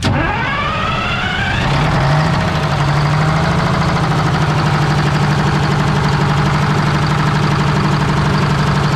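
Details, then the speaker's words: 1973 Freightliner cabover diesel, hooked to 24 volt batteries, fuel shut-off cable held by hand: short crank, then it fires, revs briefly and settles into a steady, even clatter with no misfires; normal running. "ahead well it runs what do you say is successful will it start yeah"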